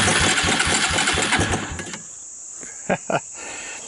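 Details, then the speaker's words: 1999 Suzuki Quad Runner LT 160 ATV with 12V CDI, on starting fluid: fires with quick rough pops about 1.5 seconds then dies; fuel not getting through carburetor, throttle and choke found misconnected. "here let me do something with the carburetor cuz it sounds like a runner and see if we can't make this thing run run"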